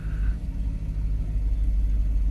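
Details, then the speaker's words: Porsche Panamera S V8 after timing-chain kit repair, just restarted after refueling, some items still unplugged; deep, even idle rumble with steady low pulses, no ticks or stumbles, no vibration; smooth healthy idle. "listen to how smooth that is look at that not vibrating at all wow amazing"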